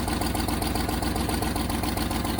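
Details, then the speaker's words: 1989 Range Rover Vogue SE V8 idling after first cold start, before ignition timing set: rapid, sharp, loud puffing tick on every firing pulse; blowing exhaust manifold needing fixing. "I'll work out where the exhaust is blowing as well because that's going to obviously need fixing that's quite noisy at the moment"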